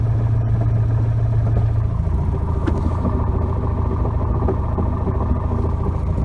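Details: 1992 Nissan 240SX hatch at idle, low steady hum that shifts as the clutch pedal is pressed, with rattling and scraping; a bad clutch, replacement parts on hand.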